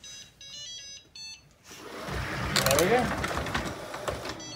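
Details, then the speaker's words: Shark ION/IQ robot vacuum after replacing a melted, shifted housing that caused grinding: short start-up chime then even whir of brushes and suction, no grinding or scraping; normal start-up. "off to the races no more grinding noise that's how to repair it guys"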